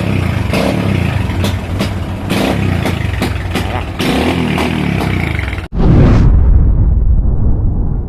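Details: Motorcycle misfiring and popping like rapid backfire, won't settle; it stumbles with irregular bursts and briefly cuts out, worse with the headlight on; cause is weak spark from a faulty voltage regulator and a discharged battery.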